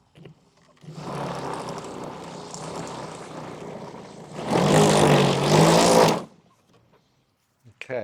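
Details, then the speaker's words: Black & Decker Lawn Hog MM875 electric mulching mower, plugged in on its side: motor spins up into a rough, fluttering whir swelling for seconds, then winds down; broken motor fan missing pieces, to be replaced. "Replace the broken fan. Let's see if we can take a closer look at the broken fan."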